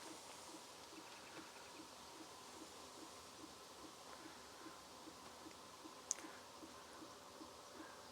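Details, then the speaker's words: VEVOR 5/8 kW diesel heater in a van, mic held up, heated up quickly and blowing hot air: soft regular ticking a couple times a second over quiet fan hiss; fuel pump metering normally, fan louder than pump. "That's about as noisy. The actual fan motor is actually noisier than the pump, I reckon. And when you're inside the van, you can't hear it."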